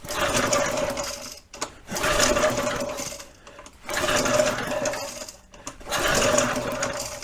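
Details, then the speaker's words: Early-1970s flathead Briggs engine on a vintage SCUBA compressor, compression tester fitted, throttle fully open: four recoil pulls two seconds apart, each a quick, light spin with little resistance and no firing; low compression, owner guesses a valve stuck open. "I'm gonna take a wild guess that we've got a uh a valve that's stuck open and we're not getting any compression"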